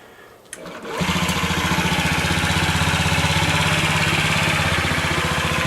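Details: Honda Ruckus scooter after a tune-up with the carburetor bores and a dirty throttle slide cleaned: the small single starts and settles into a steady, even putter of about four beats a second, pump audible, running clean and healthy.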